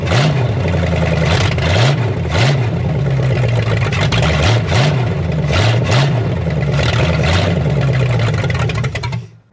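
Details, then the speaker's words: 1972 Chrysler Newport, swapped 440 big-block V8, after adding ignition advance and filling fuel bowls: deep rumble with quick throttle blips, picks up cleanly and settles without stumbling. Normal running; sounds better. "that sounds better."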